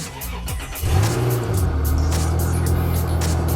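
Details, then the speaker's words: Cadillac SRX, previously very hard to start before fuel pump replacement, unstarted for a couple of weeks: short crank catches right away and settles into a steady, even low idle; normal start. "All right, guys. Fired right up."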